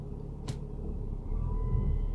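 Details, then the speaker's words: 2011 BMW 335i while driving in Drive: low engine rumble, then after a click a thin steady whistle/buzz comes in on the gas and the rumble grows heavier; stops in neutral, cause unknown. "I am now driving and it's making a whistle sound I had in a park and I don't know if you could hear it but it's doing that [Music] so it's doing it as I hit the gas so it's really strange"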